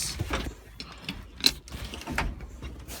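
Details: Old International, under restoration, engine off: a handful of sharp, irregular clicks as the shift lever is worked; something is catching in the gear linkage.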